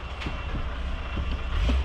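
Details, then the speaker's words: 2011 Mercedes SLS AMG after flushes to correct the wrong fluid, rolling slowly: a few dull low clunks over road rumble, with the whole wheel seen moving. The mechanic suspects bad strut rod bushings. "Little clunk. Yeah, I can see it clunking. I can see the whole wheel moving."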